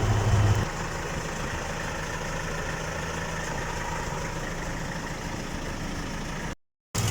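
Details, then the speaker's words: Boat engine on a test run after its second overhaul (its oil pump had failed and it knocked after the first) runs steadily with a rough, noisy chuff. This comes from a small exhaust manifold gasket leak, judged minor. "At meron lang konting problema sa kanyang exhause manipold gasket. May konting singaw kaya medyo maingay iyung andar ng makina."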